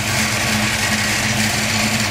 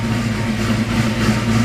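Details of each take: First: 1989 Mustang GT 5.0 V8 idling on the stock mid-pipe: steady idle with a light, fast ticking on top. The roller rockers on the passenger side are loud and need the valve cover pulled and the rockers adjusted. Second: 1989 Mustang GT 5.0 V8 with a cam, stock mid-pipe fitted for emissions, idling cold after sitting a long time: a deep rumble with a slightly uneven, loping beat from the cam; normal cammed idle.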